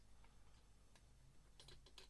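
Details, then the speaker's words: 2004 Toyota RAV4 throttle body on the bench: light, irregular clicking rattle from the motor's free play, left-right slack delaying throttle movement. The faulty unit was removed; owner also suspects the Hall-effect position pickup. "there's a lot of free play in the motor before actually Stern's anything there is that is the problem there's left and right movement in the motor"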